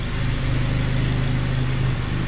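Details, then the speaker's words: 2002 Honda Civic EP3 hatchback, 17 years old, after cleaning the idle air control valve to cure a surging idle: smooth steady low purr at idle, no misses or surging, no check engine light. "everything runs fine you can hear a purring like it's supposed to seventeen-year-old car runs great"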